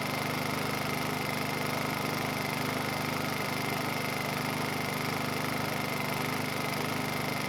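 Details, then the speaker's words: Honda EU2000i inverter generator that smoked and couldn't power a load, under repair, choke off, airbox not yet fitted: steady fast idle with faint occasional stumble; slight misfire, unstable running. "Uh, but still not perfect. I could hear it missing a little bit. You know, it was a little bit unstable."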